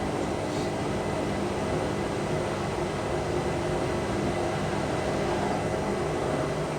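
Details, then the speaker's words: Indesit IWC6125 washing machine, first wash after fitting new brushes, Cotton 90 program failed and reset to Cotton 70; even constant whirr with steady water rush, no rattle or labouring; pumps out well; normal drain pump operation. "pumps out well."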